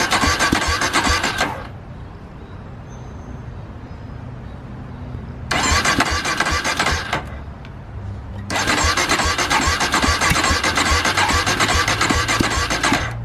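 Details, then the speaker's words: Polaris Predator 500 ATV, first start after DIY carburetor clean, gas in tank, no leaks: several cranking bursts with pauses before the single catches and runs; slow start, cause not pinned down. "uh took a little minute for me to crank up"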